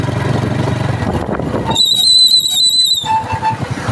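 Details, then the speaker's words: TVS Star motorcycle making noise from the hub whenever the brake is applied, in every season. A sharp, steady high squeal holds for about a second over the running bike, likely from a broken drum brake shoe spring rubbing the hub. "TVS ஸ்டார்ல வந்து நமக்கு வண்டி வந்து break போட்டாவே நமக்கு noise வருதுங்க hub drive வந்து ஏதோ சவுண்ட் வருது"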